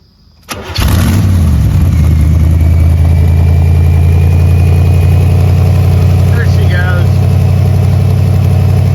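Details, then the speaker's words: C4 Corvette after engine-bay cleanup and rerouting of wires and hoses, battery at 12 volts, belt noted on the first try. Quick start, revs flare, then a steady idle around 800 rpm with no misses: normal start and idle. "running about a 800 idle [Music] comes back down. Yeah, it comes down to idle. Nice. Sounds real good."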